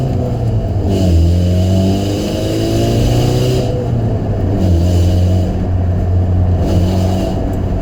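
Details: 2005 Saturn Ion with a bad flex pipe: engine revs up and settles twice with a loose uneven sputter in the exhaust note, a backfire-type sputtering from the exhaust leak.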